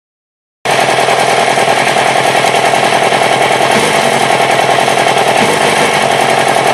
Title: R6 rough idle